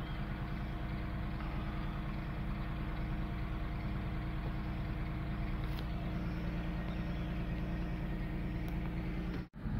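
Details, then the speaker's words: Nissan VG33E/VG30 engine after timing belt and tensioner replacement: smooth, even idle just under 1,000 rpm, steady low hum with no valve-train rattle; repair solved the earlier noise. "That is the perfect idling I like to set the engine at when you're in stop and go traffic. It's just below 1,000."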